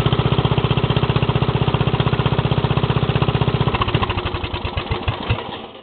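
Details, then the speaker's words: Lawn mower small single-cylinder engine, warmed up after a cold start. It fires crisply and evenly at a steady fast rate, then winds down cleanly at shutoff. It started easily after the throttle was opened a bit. Normal running. "well it's running that pretty good too yep it still sounds good I can't wait to get it finished"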